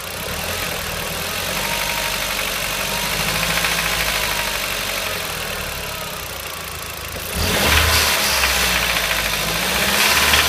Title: strange ticking noise - Audi TT Quattro 225 2003 1.8T